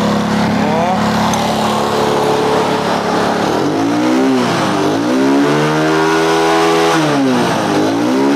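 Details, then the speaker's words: Honda Grand motorcycle that stalls, with a black spark plug and high fuel use. Its exhaust outlet is partly blocked by an insert, apparently added to soften the sound. Small revs sound dull and held back; restricted exhaust. "Mungkin maksudnya suaranya biar bi halus Mungkin maksudnya suaranya agar biar halus ya tapi yang terjadi adalah kembung Mas Bro"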